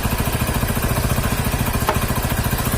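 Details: Hero HF Deluxe (new model) motorcycle engine after about 3000 km: rapid even clatter, roughly ten taps a second, over low idle, a top-end crank-like knock from a damaged piston; decarbonization fix shown.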